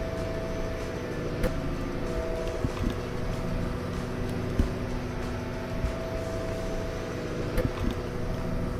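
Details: Nordhavn 63 main diesel heard in the engine room underway: constant low drone with steady tones, no knocking, ticking or rising whine; no leaks or loose fittings, the engine is healthy.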